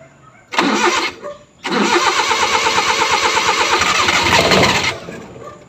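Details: F6A engine: short crank, pause, then over three seconds of steady rapid cranking that never catches; hard starting, long cranking.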